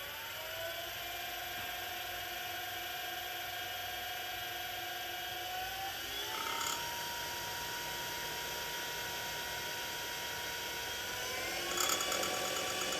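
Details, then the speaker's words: TurnCrafter Commander 12 lathe after control board repair replacing a bad MOSFET, potentiometer turned up to about 3800 rpm, lathe not bolted down: smooth motor whine stepping up evenly with speed, no roughness or cutting out; normal. "all right we're roughly at 3800 rpm"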